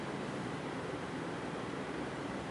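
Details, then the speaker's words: 1990 FASCO Charleston 5-blade ceiling fan (thrift-store find, heavily cleaned of kitchen grease) running on high: steady even rush of air with soft low hum, no ticks, wobble or rubbing; normal healthy high-speed running, moves a lot of air. "As I said, I had to do a lot of cleaning with this fan. Lots of grease and grime. It had obviously been in some kind of kitchen. But it's a good running fan."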